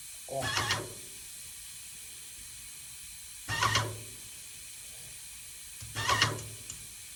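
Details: Yokiji 120 paint sprayer tested after repair: three short even hissing bursts with quiet between; clean steady spray, working properly.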